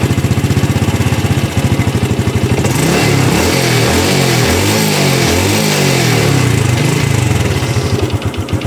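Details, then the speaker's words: Used Honda fuel-injected moped after an electric start: even idle putter, then clean throttle blips rising and falling smoothly with no rattle or stumble. It is still smooth with no smoke, and it revs normally. "Yes, kalian dengarkan sendiri suara mesinnya ya. Tidak ada krecek-kreceknya ya."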